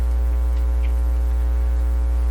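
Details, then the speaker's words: Dominion Electrohome TR50 console receiver, BSR 610 record player with newly installed cartridge: loud steady low hum with even overtones on the dead channel turned up, indicating an open circuit, a floating amplifier input. "so this powerful hum is also indicating an open circuit in the uh to me that's what it's indicating"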